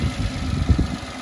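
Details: Citroen C1 three-cylinder budget track car idling after earth checks, with everything working before a test drive. Low, steady rumble with no knocks or misses; a healthy, even idle.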